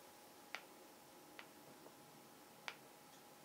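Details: Canon J20ax8B4 IRS broadcast lens with a loose focus ring: sharp, dry, irregular clicks, about four in three seconds, as the ring is rocked. Other similar lenses are quiet; owner is unsure if it is normal or needs repair.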